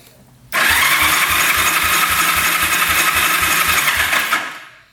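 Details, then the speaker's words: 1974 Yamaha TX500 motorcycle, sat 27 years in a barn, throttle open compression test reading 70-75 psi after rings soaked two days in oils and penetrants: cranks fast and light, even beat near four pulses a second, no firing; low compression, stuck rings suspected. "70 PSI. So, that's way too low. This thing would probably run pretty decent at 90, but 70 PSI is just way too low."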